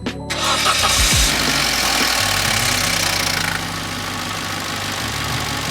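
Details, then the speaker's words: Vauxhall Corsa C just after a spark plug change, start-up test: quick crank, catches straight away and settles into a steady, even idle with no misfire, music underneath; started fine, normal start and idle. "Okay, so it started fine, everything's fine"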